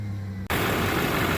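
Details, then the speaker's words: 2007 GMC 2500 HD LBZ Duramax diesel just after a full EGR delete with new crossover pipe and 3-inch hot-side pipe: engine catches abruptly and settles into a steady, even diesel clatter with no misses; runs good. "well, she runs good."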